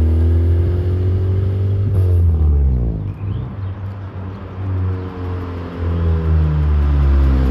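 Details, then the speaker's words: EK Honda Civic hatchback with K24Z swap on test drive gives a deep drone that wavers and dips at low RPM; rough low-RPM running, setup suspected to still need tuning, clutch also feels off. "and the engines are all rough in the low RPMs"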